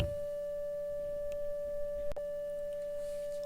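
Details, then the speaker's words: 1935 Philco 54C speaker, cold field coil at 40 mA and 114 V (about 2,850 ohms, close to 2,600 spec), playing a pure tone near 600 Hz; clean and steady with no buzz or rattle, healthy. "the volume will go up because the magnetic field will be getting stronger"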